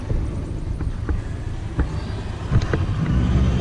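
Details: Traxxas X-Maxx RC truck under throttle at night: gritty crunches and snaps break through the motor drone as power goes down, also when turning; rear differential gears found chewed up.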